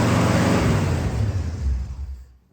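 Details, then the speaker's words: 1965 Pontiac Catalina V8, running for the first time in 20 years after a leaking transmission fitting was tightened: deep, rich rumble that winds down evenly without misfires or mechanical clatter; no more spraying, normal running. "I do think she sounds good. No more spraying."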